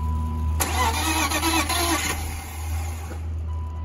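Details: BMW E34 Touring 5-speed, parked 7 years, old bad fuel, fuel pump needs replacing: starter churns unevenly for about 2.5 seconds, engine never catches; earlier backfire, and smoke possibly from starter connection; cranks but won't start.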